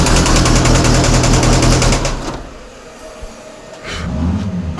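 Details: VAZ 2114 engine swapped into the car, first start: hard, fairly regular knocking about three per second over rough running before it dies; cause unknown, owners suspect valves, plan to check valves and compression.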